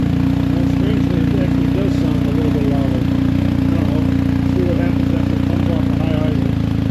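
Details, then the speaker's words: BMW R1250GS Adventure after the shorted exhaust-valve servo was replaced with a Servo Buddy, the cables removed and the flap left wide open, in neutral: steady, even, full-throated twin idle with no misses. Normal idle. "We're going to pop up and and see what this thing sounds like. Shouldn't really have any difference, I don't believe."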